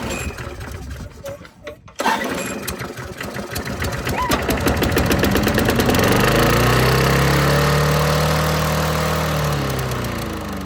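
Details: Free discarded lawnmower with a seized cable and broken handle, cable removed and held with a rubber band, freshly fueled: after a pull or two it catches, revs and settles into a steady, even run. Normal start and run.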